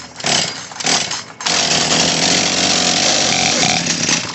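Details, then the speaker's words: Craftsman chainsaw model 358.350810 after HIPA carburetor and fuel line kit install, started on choke: blubbering uneven low-speed burble; low-speed mixture screw (closest to engine) set too rich. "oh I got her too rich all right so the low end is too rich on this that's the one closest to the engine"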